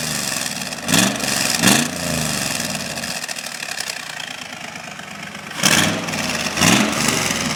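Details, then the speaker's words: 1972 Corvette with LS fuel-injected V8 and custom tuned side-pipe exhaust, warming up, recorded close to the pipes: steady even V8 burble at idle with a couple of brief blips, no misses or knocks. Normal idle. "It certainly has a nice exhaust sound to it, but at idle it's quite nice too. It's nice and smooth."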